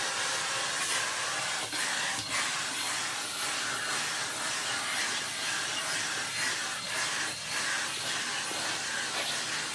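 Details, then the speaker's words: 2022 Numatic PPR370 commercial vacuum after a hose blockage, likely dried wet debris, was cleared by standing on the hose; steady, even rush of air with a high hiss and no surging or whistling. Normal suction. "Hear that? It's already... pretty much cleared itself. I think that was it."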